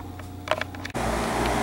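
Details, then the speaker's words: New 4-ton AC condensing unit, bracket-mounted off the ground, at startup after an oil-to-natural-gas furnace conversion; a few light clicks, then a steady even hum and fan rush with no rattles; running nice and quiet. "the condensing unit it's running nice and quiet"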